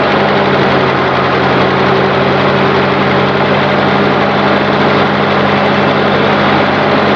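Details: Continental F124 flathead on propane from a fire-damaged 1952 Carloader forklift, first run: steady, even idle hum with constant low beat, no knocks, misses or hunting, little smoke; normal idle.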